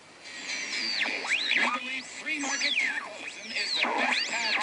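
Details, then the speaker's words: Vintage AM tube radio, unaligned, tuned near WABC 770 about 20 miles from New York City: high whistling squeals swoop over the station, caused by an unshielded converter tube; a shielded tube may be needed as the fix. "Okay, now the radio is still on at the moment, and you can hear that squeal. Okay, we want to eliminate that squeal."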